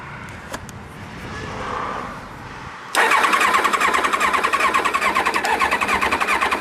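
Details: 1999 Kawasaki Ninja ZX7R, 750cc four-carb, new battery, water found in carbs, two plugs oily, spark and fuel present: starter spins the engine with quick even chatter, no firing takes hold; crank-no-start.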